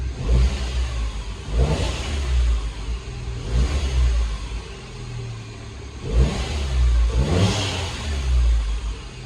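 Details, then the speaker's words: Salvage-rebuilt Mini Cooper S, 62,935 miles, after fitting new auxiliary belt and used turbo water pump, intercooler not yet fitted: several quick throttle blips rising cleanly and dropping to smooth idle; warning light on but holding well. "Yeah, it's a lot better. We've got a light on, obviously there, and a few flickers here, but yeah, it seems to be holding well now, so that's good."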